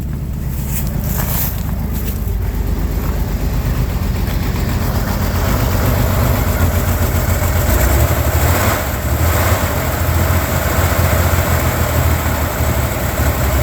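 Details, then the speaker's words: 1965 Corvair Monza flat-six project car, sat about two months, cold start at about -6 to -8°C; low uneven loping, wavering idle settling slightly after seconds; rough cold running, carburetors seemingly loading up on fuel. "happens never actually had this car running this cold before"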